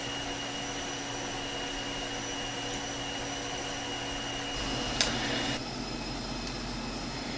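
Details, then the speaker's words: FSP 300W PSU from 2007, suspected group-regulated, powering a Dell 390 computer: constant high electrical whine and hiss over the fan hum, shifting as the load changes. Noise seems to come from the main switchers. "now here i'm going to include some footage of this power supply powering a dell ultraflex 390 and you can just hear the noise that it makes"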